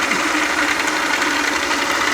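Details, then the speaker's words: South Bend lathe change gears before oiling: steady, even mechanical whir with light gear chatter, no speed change; noise from the gears lacking oil. "thing still got some noise"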